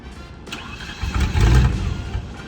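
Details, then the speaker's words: Range Rover Classic that had a crank no-start, restarting after inertia switch was pushed back down; brief cranking, then catches roughly and surges unevenly before settling. Owners also thought it might be out of gas or clogged fuel. "That almost seems like a clogged fuel issue."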